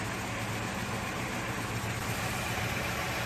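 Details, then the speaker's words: Rebuilt Toyota AE86 4A-GE four-cylinder, after setting ignition timing per the factory service manual and adjusting TPS and throttle body: steady, even idle with a smooth low hum and no misses or ticks; runs properly. "yes there it is burn like a kitten now"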